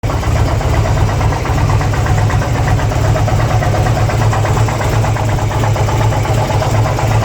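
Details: 2002 Harley-Davidson Ultra EFI Twin Cam at idle: steady, loud idle with a fast, regular ticking clatter at a constant rate; abnormal engine noise, owner cannot identify the cause.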